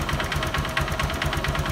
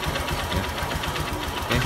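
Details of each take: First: Honda Verza motorcycle engine with a hollow metallic "kletek-kletek" clatter at idle, about eight knocks a second, rising with the throttle, plus slight rumbling and white smoke; scored, damaged piston slap suspected, connecting rod not yet ruled out. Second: Honda Verza after repair of a scored piston that caused clattering and white smoke. The engine now idles smoothly and evenly with a light, quick, regular tik-tik tick from the injector, normal on Verzas and not a problem.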